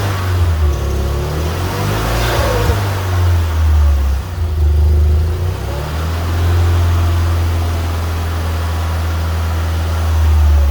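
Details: Fiat Punto GT long unstarted, running again after fresh fuel added following a cut-out blamed on empty or bad fuel; catches and settles into a steady even idle, no misses or knocks; normal idle.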